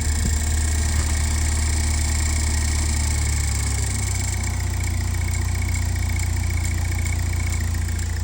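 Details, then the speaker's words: 2007 Pontiac Solstice GXP after a rear differential swap: steady low idle with an even rumble and no knocks or rattles; runs smoothly and sounds healthy. "Sounds great. You hear that? I need to get a better microphone. It's so much better now."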